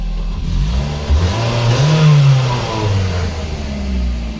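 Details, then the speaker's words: Ford Focus that started then stalled, running after the fuel pump positive feed was connected directly, bypassing a non-standard relay (alarm-related cutoff suspected): engine revs cleanly and settles to an even idle, no stumble or misfire; normal running. "И тачка работает, заработала."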